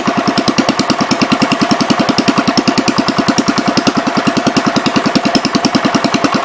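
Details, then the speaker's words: 1973 John Deere 110, at some throttle: fast, even thumping with a hard, knocking edge at steady speed, running rough. Gas seems to run straight through the carb, and the owner suspects the needle is hanging; cause unconfirmed. "I gotta figure out what is going on with that carburetor, because it seems like the gas is running straight through it, which is opposite of what I had when I started, so it makes me wonder if the needle's hanging out."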